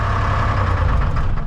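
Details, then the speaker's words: Lull telehandler Detroit Diesel 3-53 two-stroke, first start ever without ether, oil pressure up: deep, even rumble with a steady beat and no misses; normal idle. "It's the first time that's ever started without ether. Ever. See if my shutdown works now. Got oil pressure."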